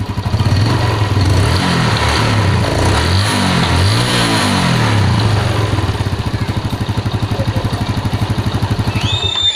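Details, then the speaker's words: Yamaha Jupiter Z1 single-cylinder after fitting a Beat FI piston to cure a clattering knock: revs cleanly and settles to an even idle about four beats a second, no ticking; engine sounds healthy. "Jadi udah dipasang juga rentan udah kedengeran suara mesinnya yang udah enak ya"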